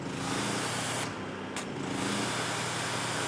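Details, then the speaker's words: Generator of about 3450 W powering a Maxshine electric pressure washer; it struggled in eco mode but now runs at full power: steady, even drone with a constant low hum, no surging or hunting under load; running healthy. "All right, you can hear the generator fired up. I am off eco mode now. Guys, we're good."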